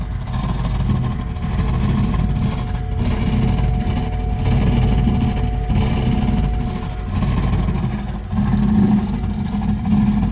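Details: Burnham Alpine boiler with a continuing loud-noise problem: deep roaring rumble that swells and fades every second or so with no steady rhythm; the burner is running rough and loud.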